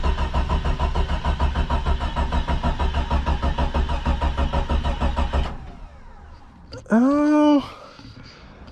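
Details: Early-1990s Jeep Cherokee XJ, unrun for four or five years, cranked on a jump box: steady starter cranking about three turns a second for five seconds without catching. Weak fuel pump pressure suspected, not confirmed.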